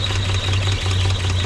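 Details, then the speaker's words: 1946 Chevrolet truck, original restoration, oil-bath air cleaner, after carburetor cleaning and tank flush: steady even low idle rumble with no misses, knocks or stumbles; sounds good. "so you listen to it run it sounds good for a little old truck that they an idle"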